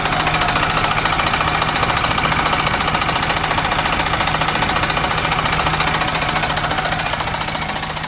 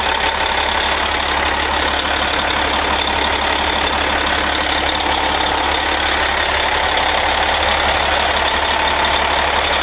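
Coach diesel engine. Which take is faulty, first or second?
first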